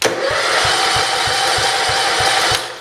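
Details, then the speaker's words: 1968 John Deere 110 garden tractor, first start attempt after an engine install: steady starter whir with even compression pulses about four a second, no firing; it has compression but cranks without starting. "it's got compression we better not crank it over too long because this is still back here"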